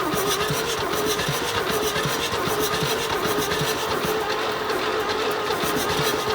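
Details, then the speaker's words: 1972 GMC tow truck parked 22 years (since 2003), cranked with gas poured into the intake manifold: starter drags the engine over slowly and unevenly, never catching or firing; slow crank, no start. "I've got the trigger here. Now it's not going to start, but if it kicks, that's a good thing."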